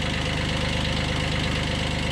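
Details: 1991 Kubota B7100 HST diesel after radiator stop-leak and fuel filter change, at low throttle after glow plug heating: steady, even clatter with a regular firing beat; running normally.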